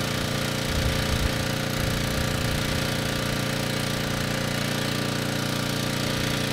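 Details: Ridgid 5700 W generator (RD905712), Yamaha MZ300 engine, dump find with 1500 hours; started first pull on a cold day, warming up before load: steady even single-cylinder beat, no knocks or misses; normal running.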